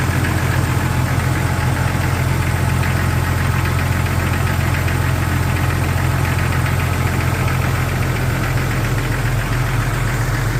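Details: 1999 Jeep XJ engine idling with a steady, hollow knock, about two to three a second, from piston slap, heard before the piston swap.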